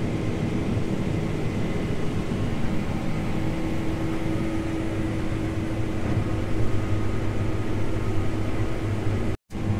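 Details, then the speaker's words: Case IH 8250 combine harvesting soybeans. A steady droning hum and vibration under the machine's roar come from an unbalanced chopper after a chopper knife was thrown. "I think I just shucked a chopper knife yep I definitely lost a chopper knife I can feel it and hear it humming you feel a little bit of a vibration and I can hear it have a little hum noise"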